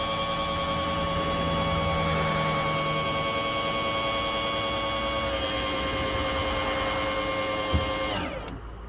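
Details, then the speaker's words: 1961-1965 Lincoln Continental convertible top hydraulic pump retracting the rams during bleeding: steady, even electric whine shifts pitch as the rams bottom out, then cuts off; normal operation. "Now I'm going to touch the other wire on the pump to bring the rods back in."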